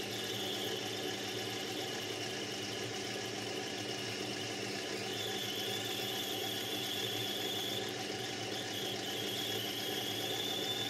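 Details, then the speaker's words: Lathe turning brass bar for a Stuart 504 boiler plant part, power traverse: thin, high squeal strengthening midway, a sure sign of a very blunt cutting tool. "it's also useful for hearing when the two is blunt if you listen to this you will hear the squeaking which is a sure sign that you using a blunt cut into a volition"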